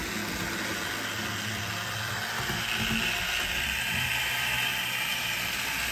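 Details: Bachmann GP40 CP Rail model locomotive after cleaning and lubrication, running in on the loop: a constant loud, high buzzing whir with fast ratchety chatter. Gear and motor noise resonates through the body shell, only slightly quieter than before.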